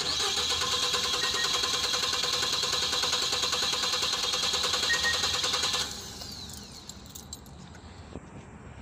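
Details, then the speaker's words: Nissan NV350 Caravan with misfires (P0300, P0302, P0304) during a relative compression test: petrol engine cranks about six seconds without firing, uneven pulses from low compression on cylinders two and four; burned exhaust valve suspected. "right so suspect number two and number four has a low compression um all right so the compression came up I see now we have low compression on two cylinders"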